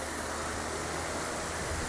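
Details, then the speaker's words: 80 W BLDC air cooler fan motor, tested at full speed and measured drawing 84 W: constant, smooth rush of strong air with no ticking, scraping or wobble; healthy motor. "अभी हम इसको टेस्टिंग के तौर पे आपको चेक करवाने लगे हैं। ये जी हमारा स्विच हो गया, यहाँ पे हम इसको लगा देते हैं जी। ये फुल स्पीड के ऊपर है।"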